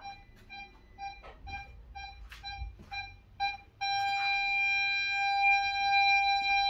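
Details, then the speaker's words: 2008 VW Polo 9N3 1.4 FSI (BUD), after replacing the faulty rear-left-middle parking sensor 7H0919275C: clean, evenly spaced beeps about two a second, then a steady tone; parking sensors now work normally. "Impeccable. Donc les capteurs fonctionnent bien maintenant. On entend bien le bip de fonctionnement. Donc c'était bien celui-là qui était en défaut."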